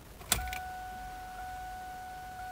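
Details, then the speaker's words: 2000 Mustang GT, key-on after finding the fuel pump unplugged and reconnecting it: a short click then a steady thin electric hum for a couple of seconds; fuel pump priming normally. "okay see now we have now we got fuel okay so now let's cycle pump a few times okay now i hear the pump cycling"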